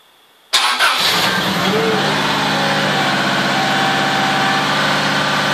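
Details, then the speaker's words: Subaru with a replacement starter motor (old one twisted and shorted internally); quick, energetic crank well under a second, unlike the old one barely turning over, then fires into steady even idle. "if you heard the other one before it actually would actually sound like as if it was just managing to turn over whereas that that was just like real energetic"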